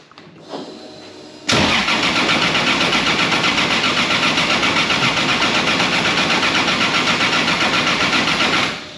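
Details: 2JZ-swapped Datsun, cranking with coils removed after fuel pressure check (about 45 psi): even starter churn about four beats a second for seven seconds, no catch; normal cranking with ignition disabled.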